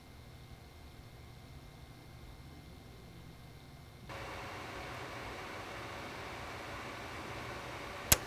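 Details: Gigabyte Gaming GT compact gaming PC (7700K, GTX 1070), microphone right above the case: quiet idle fan rush that jumps to a louder steady whoosh, even and without rattles; normal fan noise rising with load, loud under load.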